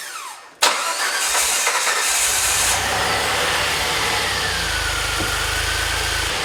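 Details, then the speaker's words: DeLorean, just started after priming fuel pump: engine catches, flares, then idle rises and sags instead of holding steady; idle hunting, idle control valve suspected. "You can see, probably have the same problem that I had before. This is exactly what I have. It's an idle hunting problem."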